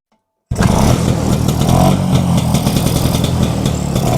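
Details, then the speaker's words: Vespa that was cutting out (ngempos) on the road, test start after cleaning the carburetor jets and opening the fuel tap: engine catches and settles into a steady, even putter with no stumbling or surging; idle now stable. "Oke, Teman-teman. Mantap. Ini udah stabil ya."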